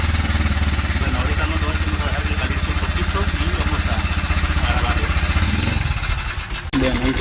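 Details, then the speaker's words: Honda Cargo CG150 single-cylinder, a month after cylinder, piston, camshaft, valve and timing chain replacement, overloaded on a hill: cold idle with fast uneven top-end metallic rattle, sounding like timing chain or guides; cause found to be a loose cam sprocket bolt. "ahí se escucha el sonido. No sé si alcancen a escuchar, pero se escucha como si fuera distribución o las guías estuvieran ya echadas a perder."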